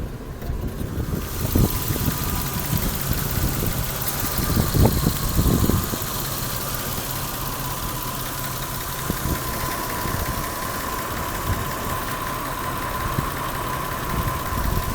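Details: 1989 Toyota Supra Mk III, 7M-GTE single turbo, parked at idle: uneven low exhaust rumble with louder thumps, slight cabin vibration, motor shaking on its mounts; owner says it sounds like one cylinder misfiring but doubts it, cause unconfirmed.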